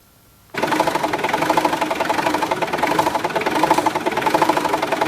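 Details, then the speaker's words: Mitsubishi L200/Triton 4D56T 2.5 turbo diesel as it arrived: clatters into an uneven, surging, lumpy idle. Injectors were already replaced elsewhere without a fix, and diagnostics showed no error codes. "you can see how rough the engine was running when it came into us"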